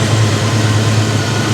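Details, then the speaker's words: 1989 Ford Mustang V8 with a manual transmission, idling after a fuel-supply fix on 91 octane, with fuel pressure expected near 40 psi: a low, even burble with a steady beat and no misses or knocks. It is running normally again. "Bingo. Yeah, she's back. She's back. It runs great, guys."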